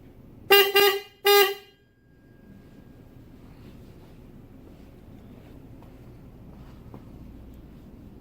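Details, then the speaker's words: Subaru Impreza WRX bugeye wagon with newly fitted electric super horns, earlier suspected grounding issue: two short blasts of a steady nasal toot with no deeper second tone; one horn possibly not sounding, unconfirmed. "one of them sounds like super horns there you go electric super horns can't go wrong"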